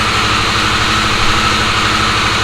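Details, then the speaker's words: Harley-Davidson Sportster S idling after its key-fob-drained battery was charged and codes cleared: loud, steady idle with an even low pulse, no misses, knocks or rattles; no codes showing. "all right so took the bike for one more try to make sure everything was running perfectly fine I started to buy a Glide three or four times and each time it got even better the starting the switch on starts right up no codes no hesitation like I should"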